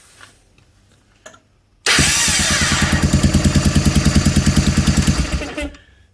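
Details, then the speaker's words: Honda Big Red 300FW ATV cranking with a known good ground jumpered in during starting-circuit checks: quick, even cranking pulses about three a second, then it catches and runs normally. "Obviously, in this case, the bike starts. If your bike starts and it didn't before, then you've got a problem with your ground."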